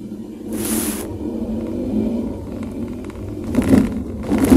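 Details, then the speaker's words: Car braking on smooth asphalt: low rumble with dull tok-tok knocking from the rear; front pads new, caliper fine; rear drum shoe sticking like slight handbrake, fixed by cleaning shoes and drum and adjusting. "Narinig yung mga paps, parang may tok-tok-tok na tunog habang nagpepreno ako."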